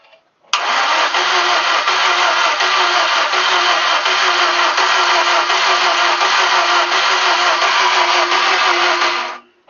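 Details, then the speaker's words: VAZ 2110 petrol engine, first start after capital overhaul: starter cranks at an even pace about nine seconds without catching; no spark, crankshaft position sensor found broken and replaced, after which it started. "Так, что-то не заводится. Сейчас проверим там бензин, искру. Посмотрим, что там, из-за чего."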